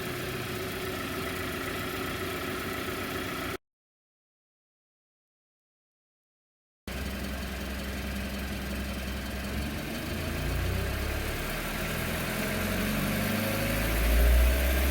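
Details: 2019 Hyundai Tucson 2.0L Nu I-4, 21K miles, full synthetic 5W-30, cold start after sitting 3+ days: faint fairly regular light knock or tap over low idle hum, gone when warm; minor fuel dilution of oil, no metal shavings; cause unknown.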